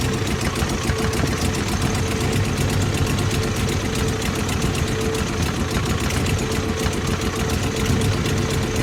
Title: Toyota 22R rough idle